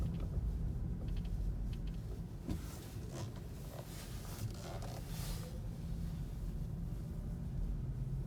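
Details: 2017 Kia Niro makes short, dry body creaks and scratchy squeaks over steady low road rumble while driving; dealers say they cannot find or reproduce the creaking noise.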